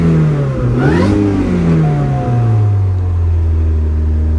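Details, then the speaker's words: Supercharged Chevy Cobalt SS with aftermarket shifter, first run after auction purchase: engine blips up and settles to smooth idle while a thin supercharger whine climbs with revs, boost gauge rising. Normal revving with supercharger boost. "Let's give it a little gas, huh? Oh, hear that? Oh boy, look at this boost gauge."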